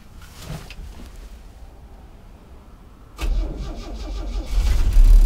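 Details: 1964 Chevy C10 with a 230 inline-six: quiet cranking, then it catches and runs loud and uneven with stumbling surges, misfiring, and it stalls after starting; cause unclear.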